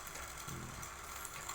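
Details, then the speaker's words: Aquarium water pump: light uneven clattering rattle over soft hum, still pumps water; impeller loose and wobbling, fix by disassembling, cleaning scale inside and gluing the loose impeller. "Kadang trouble-nya itu bunyi kletek, yang sangat mengganggu dan mengkhawatirkan."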